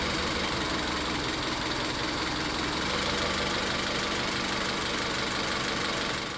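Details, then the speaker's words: Engine misfire on cylinder three, rough shaky idle with irregular stumbles; a cylinder power-balance test by unplugging the coils shows the fault on cylinder three, and spark is ruled out as the cause. "Entonces, ya en este punto nos estamos dando cuenta de que hay falla en el cilindro tres y de que el problema no es la chispa."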